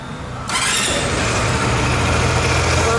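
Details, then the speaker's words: Dafra Maxsym 400i scooter at about 10,000 km, after warranty repair of the top end (piston, cylinder) damaged by a gasket defect that let it run without oil; starts and settles into a steady, smooth hum with no knocks or rattles. "agora foi substituí as peças a moto tá pronta vou ligar para você escutar o barulho"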